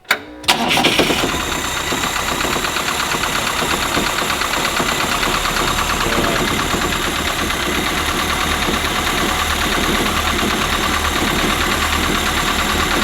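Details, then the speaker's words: Carbureted 2002 engine, back running after about 30 years, started again: catches on the first crank and settles into a steady, even idle with no knocks, misses or scary noises, and no leaks; engine sounds healthy. "it's good though. No like terribly scary noises."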